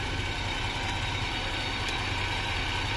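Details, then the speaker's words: 2018 Ford Expedition Max after cam phaser replacement and heat shield repair (broken piece fixed with lock washer), during a 38-mile test drive: steady, even idle with a low hum, no heat shield rattle, no chatter and no overheating. "Everything is just great. No rattles, no chatt"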